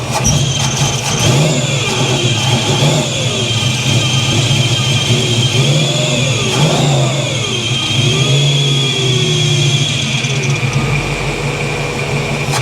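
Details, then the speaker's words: 1983 Chevy C10 with 350 small-block after a Holley 4-barrel carburetor swap to cure backfiring: strong, even V8 rumble settling cleanly after each throttle blip, no popping or stumbling; normal running and revving, and it no longer diesels at shutdown. "mint she's running good good good I like it"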